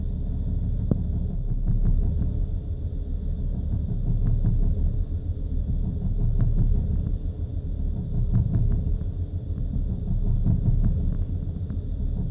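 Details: BMW at cold idle, low rumble that surges and stumbles unevenly about every two seconds with stuttering rpm; rough cold idle caused by faulty fuel injectors.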